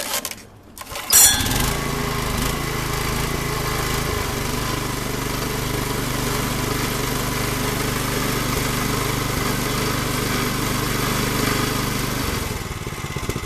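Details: Old Snapper RT5X rototiller after replacing the worn belt that jumped off its pulleys and jammed, fuel valve turned on: engine catches at once and settles into a steady, even putter with no knocks or misses; normal running.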